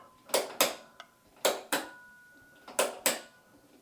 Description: The WORST thing about our bathroom, is our noisy light switch.